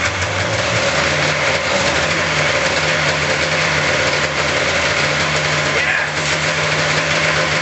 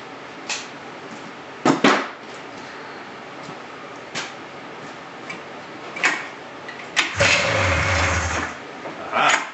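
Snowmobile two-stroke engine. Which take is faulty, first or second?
second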